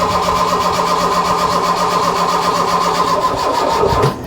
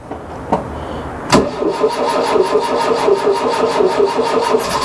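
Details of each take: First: Mk1 Ford Fiesta Ghia 1.1 barn find, with fuel and spark confirmed: fast starter cranking with a few uneven catches as it tries to fire, then it cuts out; it fires briefly but won't keep running, and weak cranking power is suspected. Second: Ford Fiesta Mk1 Ghia 1.1 barn find, after repeated cranking: a few uneven turns, then catches and settles into a steady idle; the choke wasn't sealing properly, upsetting the air-fuel mixture.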